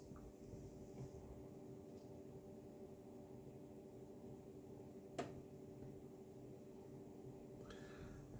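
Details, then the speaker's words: Asus ROG Strix RX 6900 XT liquid-cooled graphics card after ASUS replaced the pump for clicking/whine, fans swapped for quieter ones, glass case; quiet steady fan hum, no clicking or rattle, pump and fans healthy. "so all you can hear is the um the the fans obviously they're not the clicking noise and the pump is completely on and uh there she is she's working away"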